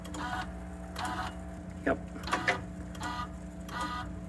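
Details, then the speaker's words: 2020 Rock-Ola Vinyl Bubbler jukebox, mech out of cabinet, stepped through a record return after mech index screw adjustment: motor whirr with soft clunks as the arm drops the record cleanly into its slot; indexing correct. "went right in. So like I said, that pretty much tests records all the way through."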